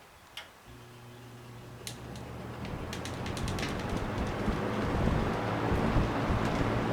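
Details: Trash-picked Kenmore two-speed box fan, not oiled, restarting after a thermostat off/on demonstration: a low steady hum with a faint tick rising smoothly as it spins back up. Normal running.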